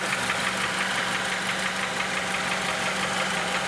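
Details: 2006 Honda Element 2.4L with customer complaint of internal engine noise, oil pan gasket recently changed, electronic stethoscope loudest at block: steady idle with sharp regular tick-knock about three per second; engine knock, source unconfirmed.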